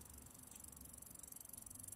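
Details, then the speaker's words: Bicycle drivetrain crunching with quick uneven ratchety clicks as the chain shifts down between the top gears while pedalling; chain fails to settle cleanly into gear, possibly on the third gear down. "kind of a crunching sound more than everything."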